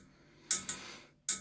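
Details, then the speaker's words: Cold water pipe in flat makes sharp ticking knocks in pairs about a fifth of a second apart; owner read online it happens because pipes are old (micro-cracks), cause unconfirmed; knocking pipe. "труба начала стучать вычитал в интернете что это происходит то что трубы старые"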